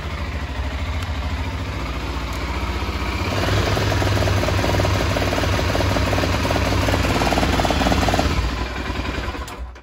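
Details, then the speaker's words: BMW F650 motorcycle idling in neutral, ran poorly on an earlier ride: uneven, stumbling idle with irregular beats that roughens after a few seconds; faulty voltage regulator putting too high voltage into the system, heat under the seat blamed. "so I know it's a bit noisy but there you go so that's that's the problem that's the voltage regulator it's putting too higher voltage into the system and it just can't cope with it"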